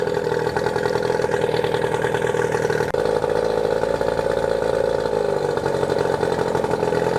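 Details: New Hangkai 18hp two-stroke outboard, first run after a year stored, on water muffs in neutral, just started with choke out: steady, even buzzy idle with no misses, knocks or surging. Normal idle.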